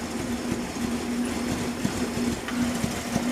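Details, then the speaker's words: Carbureted car with previously fixed valve clearance and unset carburetors, idling cold: a wavering hum broken by irregular popping stumbles, a rough cold misfire with some smoke. "Oh when it's cold it has a really bad misfire so yeah that's what it sounds like it's very rough when it's cold she just smoked a bit"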